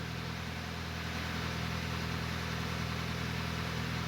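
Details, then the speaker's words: Hyundai Tucson, first start after cylinder head reinstall: idle settles to a steady, even, smooth low hum with no stumbles or skips. Normal idle, "definitely no misfire", after an initial rough start. "Oh, the idle's coming down and it feels real smooth now. Definitely no misfire."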